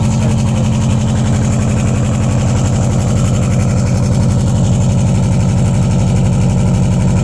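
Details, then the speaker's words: 2002 Subaru Impreza WRX with DNA Motoring turbo-back exhaust, silencer installed: deep, loud, steady burble at idle, about three pulses a second, even and smooth; still pretty loud, healthy engine. "I'm still pretty loud"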